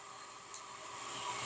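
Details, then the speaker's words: Centrifugal water pump with the valve fully open, drawing 8.07 A against an 8 A nameplate rating: a steady gravelly hiss and rush, attributed to cavitation at maximum flow with pressure below the recommended level. "this noise is due to cavitation because cavitation occurs when we have maximum flow and pressure Below what is recommended"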